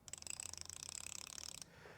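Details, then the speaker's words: Ford 4R70 transmission teardown: fast even ratchet clicks, about twenty per second for a second and a half, from the diode-style sprag freewheeling; normal, anti-clunk spring keeps this noise from rattling the clutches. "This right here sets in these clutches and steels down in here, and it keeps them from making a rattling noise, because this here just keeps making this noise, and it transfers into the clutches and stuff."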